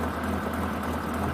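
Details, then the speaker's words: 1986 BMW 528e, long-stored, after replacing coolant temperature sensor, hoses, thermostat, O2 sensor, fuel pressure regulator, oil, intake boot and cleaning idle air control valve: steady low idle with slight uneven lope, not fully smooth; mild rough idle. "thing still sounds like Lopes a little like it doesn't run as smooth as my Corvette for example but I mean it's at least running now"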